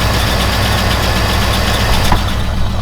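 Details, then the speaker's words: Buick estate car V8 off the road about 13 years since 2009, just started cold, oil level correct: smooth, steady idle rumble with an even beat and no misses or knocks; the engine runs healthy. "she runs i think based off of what i've been looking at what i can see i'm gonna start using this one again um it's a very happy uh looking engine inside"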